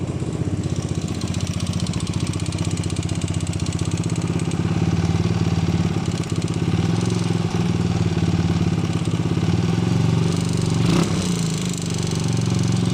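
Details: 125CBS single-cylinder engine at idle: a fast, loose clack rides on the exhaust about two to three times per second. It is a clattering top-end noise with the cause not pinned down.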